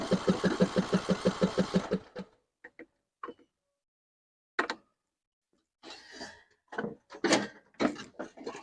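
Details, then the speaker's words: 6-year-old John Deere 100 series lawn tractor, choke on: about two seconds of even cranking, never catching, then handling clunks; the fuel solenoid would not fire, causing the no start. "the problem we found with this motor was the soleno didn't fire and that's why we couldn't get it to start this here solenoid would not fire"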